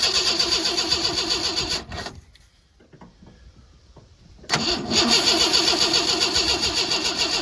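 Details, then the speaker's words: 1986 Ford F-150 old farm truck cranking after a bad coil connection was tweaked: fast steady cranking about four beats a second with a pause, never catches, no spark seen at the plug; crank no start, cause not confirmed. "all right we're gonna Crank It Again look for spark again and see what happens I'm gonna look on this plug here okay I don't want to seeing smart girl not seeing Spark"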